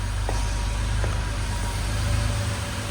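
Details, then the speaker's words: 1982 Porsche 911SC Slantnose, sat 20+ years, after a CIS tune-up (cleaned fuel distributor, plugs, fuel filter): a steady, even low idle rumble with no knocks, misses or hunting, running smoothly despite heavy smoke from likely oil burning. "Sheesh. Wow, this thing sounds good though. It's running so smooth."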